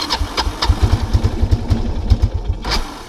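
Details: 1999 Kawasaki Prairie 300 ATV, single cylinder, on trail test ride after oil change: thumps unevenly about two seconds, then sags and dies, stalling; owner suspects carburetor float stuck open running very rich, and a non-venting gas cap.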